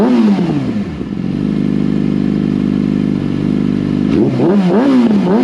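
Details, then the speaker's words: 2014 Yamaha R6 after unrestricted ECU flash: clean climb to a steady high hold, then quick crisp blips rising and falling without stumbling; runs smoothly with much better throttle response. "all right guys take a closer and how much better the bike just responds to the throttle and how much better it runs now that we got the flash"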